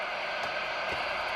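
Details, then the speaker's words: CB radio on channel 20 after the power cord and cigarette-lighter plug were replaced: even, unbroken speaker hiss with no crackle or dropouts, so receiver sensitivity is working and it picks up a signal, with automatic and manual squelch working. "mamy 20 kanał głośnik szumi czułość odbiornika działa widać i słychać radio odbiera jakiś sygnał"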